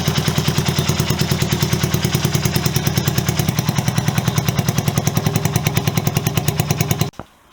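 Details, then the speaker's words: Honda CB125S with new aftermarket replacement exhaust fitted: sharp, crackling bark on every firing pulse, about three a second, far too loud and open, as if unbaffled; excessively loud exhaust. "I'll be honest, I don't like it, and I don't say that lightly. It's just too loud. It's almost like it's unbaffled. It's got a really sharp bark to it"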